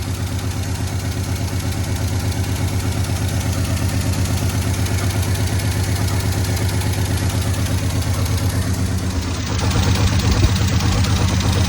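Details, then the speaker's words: 1972 Chevy C10 six-cylinder, after the fuel hose was fixed: a steady, low, even idle rumble with the carburetor idled down, no misses or knocks. It is healthy, with no blow-by from the vent tube. "Idling the carburetor down a little bit. The whole thing's not running bad. Not any blow-by coming out of the vent tube there."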